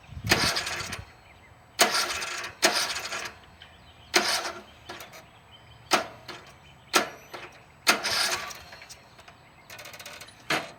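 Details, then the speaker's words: Briggs & Stratton engine on cemetery riding lawn mower: about eight short laboured starter bursts that bog and stop without firing, sometimes only a click; hard cranking blamed on worn compression release valve on camshaft, not starter, relay or battery. "okay sometimes it won't even do that sometimes it'll just click but uh what I found it's a compression relief valve on the cam shaft"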